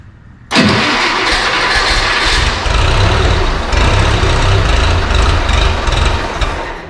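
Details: JLG 40G manlift, dead until its 6-month-old battery was swapped for another: engine catches at once on the switch and settles into a steady, even run, no misses or knocking; normal start and idle.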